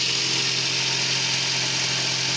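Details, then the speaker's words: Nissan Versa that had lost power with a P0304 cylinder 4 misfire, after the repair with no fault codes and no check engine light: a steady, even idle hum with no skipped beats, no longer misfiring. "And you can listen to the vehicle. It doesn't sound like it's misfiring anymore."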